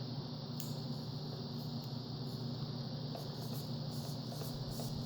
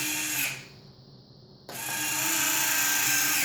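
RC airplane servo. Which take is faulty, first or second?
first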